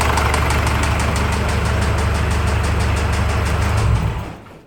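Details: Ford Ranger idling with a steady, fairly quick tapping knock over the engine rumble until shut off; internal engine knock, cause unknown.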